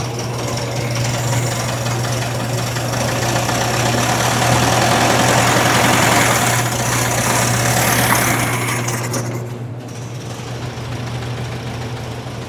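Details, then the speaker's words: 1961 VW Beetle air-cooled flat-four, first test fire after rewiring, coil not yet mounted, vacuum routing unknown: steady low throbbing idle that eases slightly toward the end, with no clear knock. The gen light goes off; it runs. "gen light went off. I don't know what in the vacuum line routing we have. But it does run."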